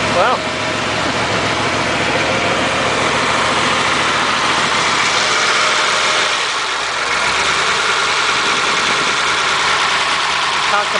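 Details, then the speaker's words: Cold 276-inch flathead V8 in a Model A roadster on '32 rails, parked outside about 18 months, started with choke on one carb: runs steadily at an even, rich idle on choke, holding speed. "I suppose I could try a choke should try that put the choke on one of them see what that does"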